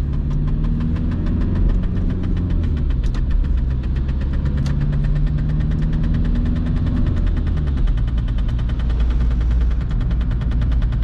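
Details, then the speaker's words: 1993 VW Golf Mk3 1.9 TDI 90 hp (1Z) diesel while driving: a regular light ticking rub that repeats with wheel speed under the steady diesel drone, from the handbrake cable catching the rear tyre; needs stopping to fix. "doesn't doesn't sound good right i know i have to stop somewhere to fix it"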